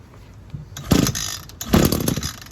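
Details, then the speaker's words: ECHO SRM-225 gas two-stroke weed eater, cold start: switch on, primer bulb pumped five times, lever on cold-start choke; two cord pulls each give a short sharp pop that doesn't catch, the cue to move the lever to run. "Right there, did you hear that? It sounded like it was gonna start. That's when you stop."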